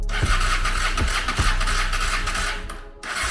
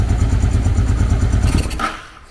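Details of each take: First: 1995 Honda Shadow VLX600 V-twin after years of neglect, choke on, starter fluid sprayed in: coughs through uneven firings, stumbles almost to a stop, catches again, struggling to stay running; hard starting, cause not confirmed. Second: 1995 Honda Shadow VLX600 V-twin, neglected for years, no fuel supply: quick even low putting for about two seconds then fades out and dies from lack of gas; runs cleanly while it lasts.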